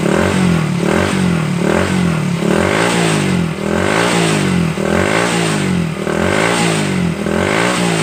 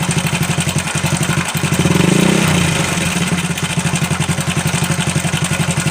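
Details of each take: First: Honda Supra Fit New motorcycle after repair of clattering engine noise (worn cam chain and damaged chain tensioner replaced): small engine revs up and drops back smoothly, no clatter, running clean and healthy. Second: Honda Supra Fit New engine with a strange internal noise: steady idle with a light, fast metallic ticking about four per second, like a slack cam chain slapping; cam chain suspected loose or out of adjustment.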